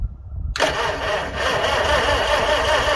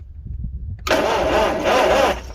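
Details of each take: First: 1955 Farmall 300 row crop after sitting 14 years, first start attempt: steady cranking about two and a half turns a second, pausing and resuming, never catching; no fuel, owner will check timing, possibly 180° out. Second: 1955 Farmall 300 row crop after sitting 14 years, after replacing the part owner suspected: starter cranks briskly for over a second with uneven catches as the ignition now sparks; spark restored, fuel next.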